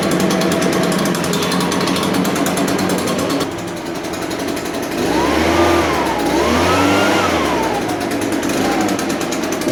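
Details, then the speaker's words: New Echo PB580T professional leaf blower on its first start: cold-started on choke, then switched to run and restarted. It holds a steady fast idle while warming up, a loud busy two-stroke buzz with small pitch rises. Normal warm-up running. "That's the first time it started that motor. That's pretty good. You want to let it warm up a"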